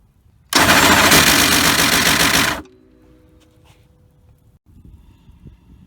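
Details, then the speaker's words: 1997 Polaris 500 ATV just after a torn CVT drive belt was replaced: loud harsh scraping roar for about two seconds after start-up, then it shuts off, as the belt cuts into the melted, deformed outer clutch housing, which needs replacing. "i go to start it now it sounds like hell so looks like i'm going to have to buy a new plastic housing"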